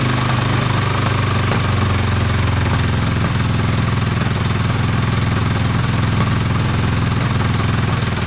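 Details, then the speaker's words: Four-cylinder engine idling with pod filters fitted, all exhaust pipes at the same temperature although cylinder one is not showing on the carb tuner for unknown reasons: smooth, even idle with a steady low burble and no knocks, misses or rattles; extremely healthy, strong-sounding. "three i mean that is an extremely healthy strong sounding engine so um no concerns about that actually"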